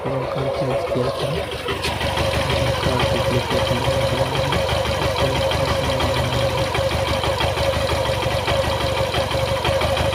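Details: Suzuki Gixxer FI motorcycle single-cylinder idle with a loose, uneven tapping mixed into the beat. Abnormal engine noise, cause unclear.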